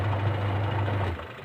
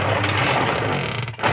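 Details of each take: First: Sharp manual washing machine after replacing pulsator and gearbox, which previously ran very rough and noisy: low even motor hum with no knocking or grinding, then winds down when switched off; wash drive now smooth. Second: Sharp manual top-load washing machine running while agitating: loud, coarse, continuous grinding churn, blamed on a worn pulsator and gearbox, both to be replaced.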